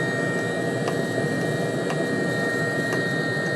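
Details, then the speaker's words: Webasto diesel heater running on a homemade replacement controller without its original ECU: a steady fan hum, a constant high whistle and an even fuel-pump tick about once a second. It is burning normally on low before later flaming out. "Still running. That's running on low."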